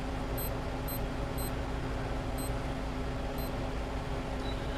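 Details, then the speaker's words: SKMEI digital sports watch, after battery replacement with the speaker reconnected on the back cover: short high-pitched alarm chirps, about five in five seconds, over a steady hiss, so the alarm tone works. "we know we're good with the speaker hooking back up on the back."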